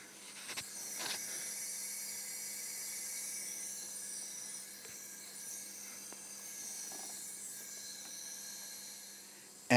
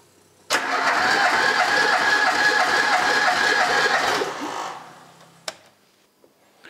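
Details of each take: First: Ford Pinto engine cylinder leakage test, cylinder one with good compression: steady airy hiss heard at the crankcase oil return opening, blow-by air escaping past the piston. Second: Pinto engine in a DAX project car, parked 15 years and earlier low on cylinders 3 and 4, retested after running a while. Steady, even starter cranking with no uneven beats; all cylinders read about 11.5–12 kg, balanced compression.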